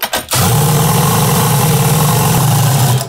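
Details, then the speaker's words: Holy Star moped two-stroke engine reassembled after overhaul (earlier overheated and melted internally, now propeller cooling added), fuel tank repaired; catches after brief crank, steady even buzzing run, no knocks or misses; normal running. "Oui! Il marche à nouveau. C'est une super boîte, je deviens fou."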